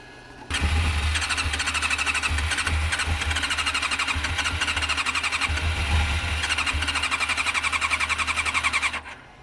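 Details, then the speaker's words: Honda CM400 motorcycle, very cold weather: steady starter cranking at about four beats a second with no firing at all; cranks but won't start, owner blames the cold, possibly no accelerator pump; starts smoking from exhaust. "Okay, let's try this again. It's gonna backfire. It is. It's so cold. No, stop. It's just too cold."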